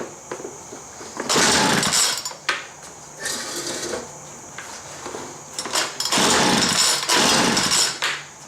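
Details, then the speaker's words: Homelite MightyLite 26b leaf blower (UT08520), roadside find: starts and runs on full choke, but on half choke revs very high, sputters, surges and shuts off; probably not just the fuel line, carburetor faulty. "so I think there's something else going on other than that fuel line because what's been happening is it will start in full choke it'll run but the moment I try to run into half choke it revs real high and then shuts off"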